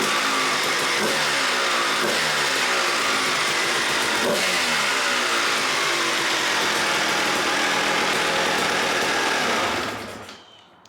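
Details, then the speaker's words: 1997 Suzuki RM250 two-stroke after cleaning jets, choke off, warmed up, fitted carb from a KTM: crisp even idle popping that holds steady then cuts cleanly; normal idle. "The bike is running amazing. That muconeyuni carb didn't work at all on that KTM, but it works a treat on the Suzuki."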